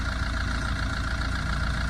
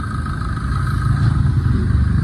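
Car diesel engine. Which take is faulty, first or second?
first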